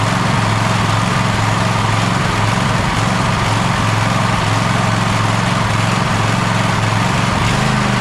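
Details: Gravely ZTX 42-inch zero-turn mower at 160 hours, in for engine service, mulch kit recently added: loud engine holds speed with a lumpy, uneven beat about twice a second, still running rough after the fuel line was refitted.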